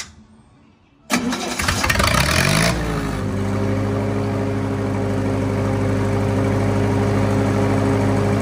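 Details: Lincoln SA200 welder on Ford F350 rig, after exhaust work: engine cranks and catches, then a faint steady whir stays over the idle; owner suspects the starter is not retracting fully.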